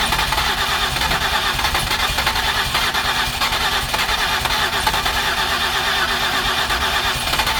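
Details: 2008 Ford Escape with previous repairs, cleaned spark plugs and coil packs refitted: long steady starter churn without catching, crank-no-start; mechanic suspects too much gas.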